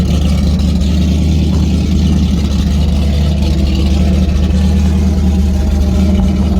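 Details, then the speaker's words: Freshly built AMC 5.0L 304 V8 with 53 cc-chamber heads, about 10.2:1 compression, first start cold on fast idle before coolant issue fixed: strong steady deep lopey rumble, no knocks or ticks; healthy compression. "I think sounds good, man. Yeah, sounds. You can tell it's got some compression."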